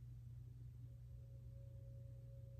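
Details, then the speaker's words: HeatStar 50,000 BTU garage heater with horizontal vent kit and vibration isolator, first start, heard from the bonus room upstairs: faint steady low hum with no rattles or surges; normal quiet operation. "but guys but um yeah there's a faint sound but very very little i mean i can barely hear it so looking good guys looking good"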